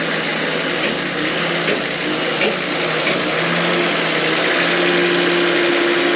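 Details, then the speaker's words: GQ 4x4 rolling slowly with handbrake off: dull clunk repeating roughly every second with speed under road hiss; a whine came first, wheel bearing suspected, but the differential was failing and blew; before diff replacement. "But yeah, the clunking's pretty bad. You guys can hear that, but it's bad."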